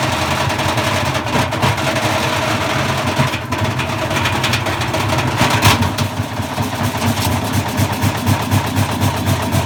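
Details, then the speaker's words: Bosch Classic 6 1200 Express washing machine hot-wired to the motor, top ballast removed, loaded with debris: uneven heavy thumping and rattling about four times a second under motor hum, drum loose after spider fell apart. Broken drum spider. "so i think somewhere along the line there we lost the spider at the point where it was going fast and slowed down it's gone completely loose inside and i think it the spider just fell apart there"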